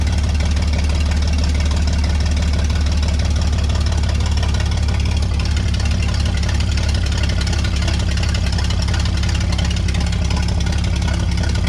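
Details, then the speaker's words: Vintage Scoopmobile LD5P articulated loader, thought late 1940s–early 1950s, old petrol engine after 15+ years sitting, coolant unknown: low steady rumble, even beat, no misses or stalling. "Yeah, we got a runner."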